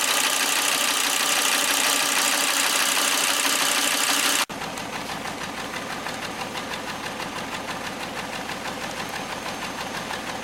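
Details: 2001 Volvo V70 T5 five-cylinder on a road test with a misfire, attributed to the ignition coils rather than the ETM; uneven, lumpy pulse about three beats a second instead of a smooth hum.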